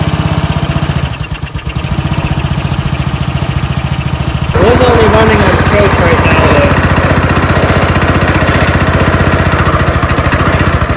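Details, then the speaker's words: Small engine on a power washer after repair with the governor and throttle fixed; carburetor still leaks gas, with oil left in it keeping the float from fully floating. Uneven loping chug about four beats a second, running rough, burning oil, seemingly too much fuel. "though too much fuel [Applause] I'm not sure what's going on there well it's burning all that oil and that's leaking off of it out of it"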